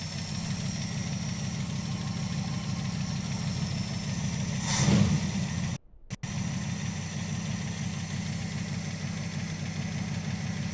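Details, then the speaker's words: Crew cab Charger engine during a spin prime test, before the timing is set: an even idle with a light, quick ticking of about four per second; ticking at idle, suspected lifter tick, unconfirmed. "There we go. [Laughter] Sounds like that lifter tick still doing its thing."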